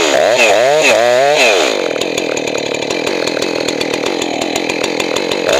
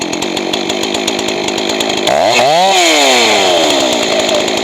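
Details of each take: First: Johnson Red 670 chainsaw after a Tillotson carburetor rebuild. Revs up and bogs into the cut, then settles to a steady high scream with slight burble; healthy and correctly tuned. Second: Johnson Red 670 chainsaw with rebuilt Tillotson two-stroke carburetor: screams at steady high lean pitch, then swoops and drops lower and fuller as high-speed mixture is richened; should end slightly rich since lean worsens with use.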